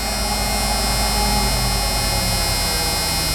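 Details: 1991 Ford F150 idling after front 19-gallon fuel tank swap with clean tank, new fuel pump and filter: steady even hum without stumbling or surging; normal smooth idle with good fuel delivery.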